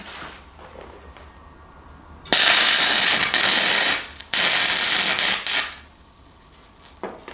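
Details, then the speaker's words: Fronius TransSteel 2200 running a 6010 rod turned up to about 120–132 amps: arc holds under two seconds, drops out, restarts and dies; no machine fault, 6010 simply needs more current and voltage. "yeah it doesn't run it they don't claim to they actually claim that it does not run this very well um it's nothing wrong with the machine it's just 6010 requires a lot of and current voltage"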